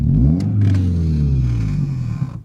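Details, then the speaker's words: Toyota Camry run with popcorn butter instead of engine oil, driven hard; after a clink and fluid spraying, deep uneven grumbling under load pulling away, then fading; something broke inside the transmission, the differential. "Ooh, doesn't sound good. Ooh, it's grumbling."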